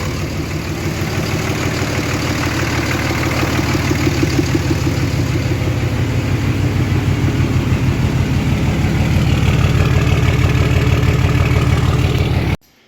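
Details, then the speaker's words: Diesel hotshot truck idling after a built valvetrain and head stud install, no leaks found: even diesel clatter at a steady, regular beat that firms up slightly, no misses or extra ticking; running good. "All right, she's running good, and I'm glad it's over."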